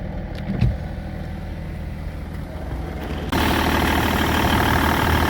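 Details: BMW E61 525d, M57 diesel, at idle just after replacing the accessory and AC belts: steady even diesel clatter with no squeal or chirp; belts sit steady without movement, sounds about right.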